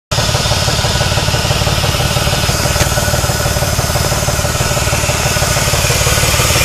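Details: 2001 Chrysler 300M 3.5L engine idling with a steady low knock about three times a second: rod knock from a warped connecting rod and worn rod bearings; later fixed.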